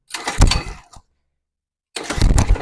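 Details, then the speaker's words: Mini bike small engine that hasn't run in a long time, oil changed and engine flushed but spark plug not changed: two short rough cranking bursts that nearly fire but never catch. It cranks but won't start; cause unconfirmed. "I didn't change the spark plug but it sound like it want to go"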